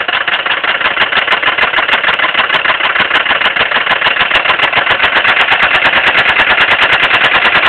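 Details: Rod knock on a 1979 Mercedes 300D diesel at idle: loud, rapid sharp metallic hammering about three blows a second over the diesel clatter, a badly worn connecting-rod bearing; shot just before the rod went through the case.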